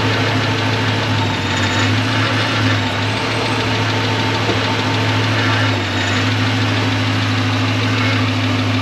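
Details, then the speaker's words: 2006 Dodge Magnum idling on ramps after 722.6 NAG1 transmission rebuild, about a quart short of fill: steady idle with a faint loose metallic rattle over the low rumble from wiggly tailpipes hanging on rubber hangers, judged acceptable. "the tail pipes down there so they're a little Wiggly but it's it's hanging on the Rubber and it's tight there and it's tight there so we're good"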